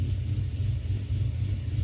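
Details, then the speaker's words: 2009 Pontiac G8 LS2 with a big camshaft, warmed up at idle: deep, uneven, loping choppy rumble that shakes the car; rough idle from the aggressive cam, to be addressed by tuning. "i'm gonna show you how to get this this idle that's here right here the car moves i don't know if you see it but it shakes the car"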